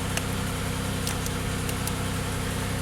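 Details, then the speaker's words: Buick LaCrosse GM 3800 with P0128 thermostat code, cold start after sitting a day (coolant 86°F, intake 82°F), instant fire, idle: a few sharp uneven ticks over steady idle; possible exhaust leak suspected, not confirmed. "Instant fire, love it. Oh, it sounds like he might have an exhaust leak. That's interesting."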